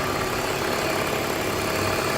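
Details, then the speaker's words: 2002 BMW 320i 2.2 six-cylinder, warm idle, listening under the hood during an oil service; an even whirr over the engine note; source not confirmed. "And there's something whirring away. You can hear that whirring away."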